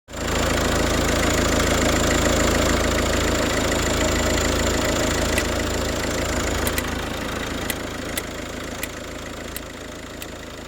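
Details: Peugeot 308 1.6 HDi diesel at idle: a sharp, light ticking about three to four times a second, sounding like a relay clicking.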